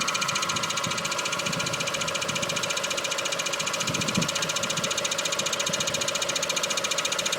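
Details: Mk4 Golf GTI 1.8T on axle stands, recorded underneath at idle after strange vibration appeared on startup; dog bone mount and front anti-roll bar bushes checked fine; steady rhythmic put-put pulse about two beats a second, owner suspects possible loose pipe, cause unclear.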